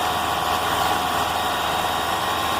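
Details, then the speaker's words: Engine after a new belt was fitted, alternator bearing checked fine: steady, even hum with no chirp, squeal or bearing growl; the earlier belt noise is gone, normal running. "a questão é a correia nova rolamento alternador tá ótimo muito bom então não tem problema nenhum"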